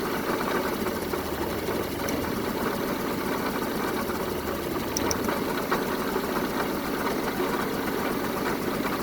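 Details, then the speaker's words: 1974 Honda Civic Series 1 Mk1 with rough running, test run: idle sounds lumpy and uneven with a stumbling beat. A compression check follows, showing cylinder 3 strongest. Cause not confirmed. Engine misfire. "Well, it's running, but it's not running at its best. Let me check. It's running, but not the best right now"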